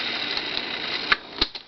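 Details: Sony TC-131 SD Cassette-Corder home deck with belts slightly stretched but usable: a steady high-pitched whir of fast tape spooling with a few light clicks, smooth and even. Rewind is running normally.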